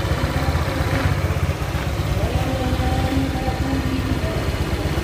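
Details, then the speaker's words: Honda Vario 125 LED scooter idling after a top-end rebuild with new piston and rings, following hard starting and oil loss. Even low putter with no rattle or tapping; exhaust no longer smokes and running is normal. "ini adalah hasil motornya ya di sini kelihatan untuk ee narpot sudah tidak berasap lagi guys ya dan tarikannya juga sudah normal begitu"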